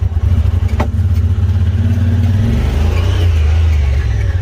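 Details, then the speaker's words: Honda Pioneer 1000, warmed up, limited to about 45 mph in top gear. Under acceleration the drone surges and drops unevenly, stuttering with no power. The owner suspects the fuel pump or a clogged fuel pressure regulator. "if you try to accelerate listen to what it does do you hear that it's just it's all over the map making no power it's jumping real bad it's stuttering real bad"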